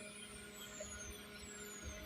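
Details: Chinese-made CRT TV in a Toshiba casing with a non-original chassis and only the tube original, totally dead: a faint thin high-pitched squeal drifting slowly downward over a low hum. Cause not yet determined.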